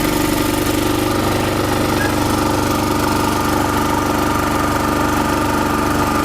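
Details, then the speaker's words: Chinese generator converted to propane, about 50 kg, with the mixture enriched by a screw and then loaded with a 1–2 kW heater, holds a steady, even drone on propane with no surging or stumbling. "вторая скорость 2 кВт 1 кВт И совсем выключено Так он работает на пропане"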